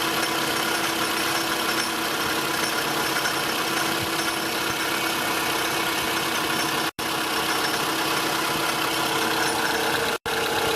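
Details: Toyota Estima ACR30 engine at idle with a steady, fast metallic shaky rattle at the front, much louder when revved. Caused by a failing AC compressor pulley and tensioner; the compressor had also failed and leaked oil, and a rebuilt compressor fixed it.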